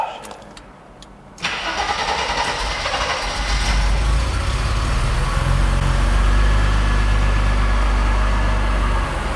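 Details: Mercedes R107 300 SL, previously crank-no-start, testing an unbranded substitute sensor of a different part number: brief crank, quick catch, steady even idle with no misfire or stumble; starts and runs fine.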